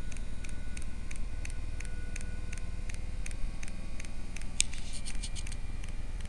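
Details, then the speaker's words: Eberspacher D5Z-F diesel heater on bench test, garage 8°, water 12°, after burn-chamber clean-out, fan and glow plug stages: crisp regular clicks two or three a second over a quiet hum as the fuel dosing pump ticks and ignition is reached. "So we have ignition. You can hear the fuel pump."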